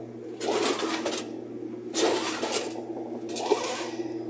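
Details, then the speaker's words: Whirlpool washer that won't spin, tub helped by hand on spin: rough scraping bursts in three pushes over low motor hum, tub barely turns; loose tub lets metal tub rub plastic tub, tub broken at the neck. "ahí se oye como que está raspando y no gira. Entonces descartamos esa posibilidad."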